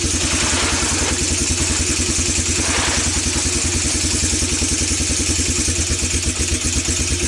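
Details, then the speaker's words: Four-wheeler single-cylinder engine sat for years, after carb cleaning and new plug, burning oil, old gas replaced with fresh: uneven, chattering beat that keeps stumbling; sputtering rough running, owner blamed old gas, cause unconfirmed. "as you can tell this thing isn't quite running right"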